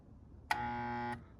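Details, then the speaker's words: InSinkErator garbage disposal that spins freely by hand, tested with the secondary windings disconnected and the starting circuit wired directly. The motor gives a steady electrical hum but never starts. Cause unknown; owner suspects the start winding or a broken coil. "I still get the hum it won't start so how do you fix this is my question"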